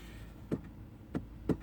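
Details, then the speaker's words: Kia no start: three sharp clicks with no cranking; battery voltage stays rock steady, so not the battery; starter not engaging, bad starter solenoid. "the voltage is not dropping, which means the starter is not engaging, which means it is not the battery. And you can hear the clicking of the solenoid. So it is a bad solenoid."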